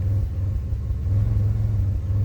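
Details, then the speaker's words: 2005 Pontiac Grand Prix idling in park: low rumble that lurches unevenly every so often instead of pulsing steadily; scan tool shows a single-cylinder misfire on cylinder one. "Cylinder one, man. So, it is just one cylinder. This thing feels pretty bad on a single misfire. That's crazy. Put it back into park. And you can see it's still misfiring."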